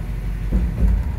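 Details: 1965 Ford Thunderbird with a C6 transmission swapped in for the Cruise-O-Matic, lower shift tube bushing newly installed: two dull low thumps as the selector drops into reverse with the brake held, wheels off and hubs resting on bare brake drums.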